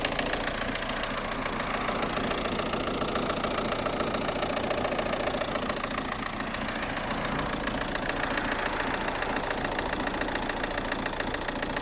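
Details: Opel Astra G 1.7 DTI 16v 75hp Y17DT diesel with power loss and tractor-like noise; rough clatter with steady knock three or four per second; persists despite changed injector, new TDC sensor and overhauled injection ECU; cause unknown.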